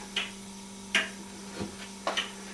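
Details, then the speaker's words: Handmade pendulum clock with an aluminium pendulum rod, aluminium pallet and brass escapement wheel, stood on a table without adjustment: crisp, even ticks under a second apart over a faint hum. Normal running. "And you can hear by the ticking it's quite even, although I've just again stood it on the top of this table."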